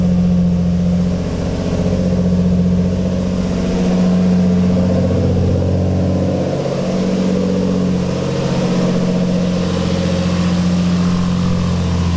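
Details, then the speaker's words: Boosted twin-turbo Infiniti G35 (Greddy kit, built engine, Walbro 485 pump) first start after fuel pump relay install and priming. Deep, steady rumble with light revs rising and settling smoothly, no misfire or knock; normal idle. "yes dude oh my god that's so sick first try bro it never goes as planned"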